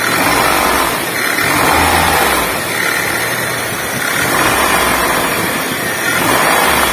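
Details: 2005 Honda Jazz VTEC engine revved up and down, a rough rumbling growl riding on top. Cause: a worn AC compressor pulley bearing.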